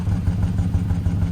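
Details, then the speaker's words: Toyota van, 2.7 VVT-i petrol with factory CNG, running on gas, recorded at the tailpipe: the exhaust beat stumbles unevenly instead of pulsing smoothly. Steady misfire that persists after switching to petrol; owner suspects an ignition coil. "นี่คืออาการสะดุดนะครับตอนนี้เป็นระบบเครื่อง2.7นะครับvvtiปิดก๊าซCNGตั้งแต่โรงงานเลยนะครับ"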